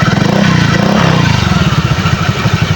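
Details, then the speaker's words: Honda Click scooter CVT after overnight heavy rain: light revving over a harsh, rapid, low-pitched grinding rattle from the transmission side; owner attributes it to rainwater in the CVT and says warming up and draining fixes it. "ang aking panggilid napakaingay parang may gilingan sa loob oh akala mo may gilingan may giling-giling sa loob di ba Grabeng ingay bale ulan kasi dito sa amin guys"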